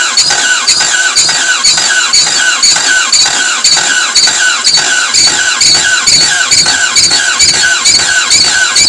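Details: Toyota MR2 AW11 after injectors and distributor were cleaned, fresh 91 premium ethanol-free fuel, distributor turned fully (probably advanced): steady cranking about two strokes a second with shrill squeal and ragged half-catching firing; cranks, no start.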